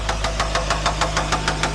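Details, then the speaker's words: Nissan Rogue bought cheap with a serious knock and slow cranking: sharp, even knock about six times a second at steady idle; it doesn't sound like a rod bearing, and a stethoscope traces it to the alternator, which visibly moves — internal alternator fault. "It's coming from the alternator. You can see the alternator is actually moving. So there's something's going on inside the alternator."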